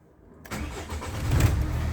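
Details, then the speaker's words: Renault Espace 4 started after the owner replaced the accessory belt that broke on the motorway. Short crank, then it catches cleanly into a steady idle with no belt squeal; steering turns smoothly and the air conditioning works. "Waouh, nickel les amis. Le volant il tourne tranquillement."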